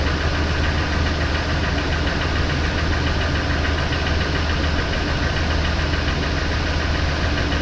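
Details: 2004 Ford Expedition Eddie Bauer, 5.4 2-valve V8; loud rough idle with a steady rapid knocking under the engine drone and no change in speed; owner suspects piston slap, cause unknown.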